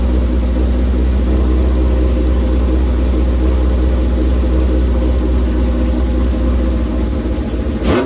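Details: Shovelhead V-twin motorcycle started with choke on, fuel on after a squirt of gas: deep, loping V-twin thump holding a steady rhythm after the start, no ticking or clatter on top; a healthy idle.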